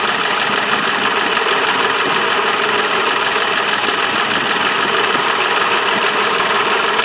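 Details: BMW M20 B27 inline-six at idle: steady idle with a fast, even metallic tapping over it; engine knock at idle, source not pinned down.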